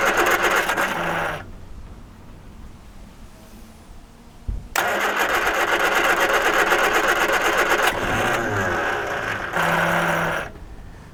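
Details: 1978 Triumph Spitfire 1500, not run in years, sediment suspected in carburettor float bowls and jets: starter spins engine at steady even crank in several bursts, never catches; cranks but no start, no spark.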